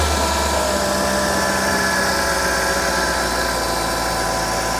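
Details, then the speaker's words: 2005 Mercedes-Benz C55 AMG M113 V8, first start after valve stem seal replacement (had smoking exhaust, cooked plugs): even steady idle, smooth hum, no ticking, knocking or misses; some smoke from spilled oil expected; normal idle. "it sounds good just going to look for leaks or anything going to see some smoke because of the oil they spilled on the side they should be normal sounds nice and smooth"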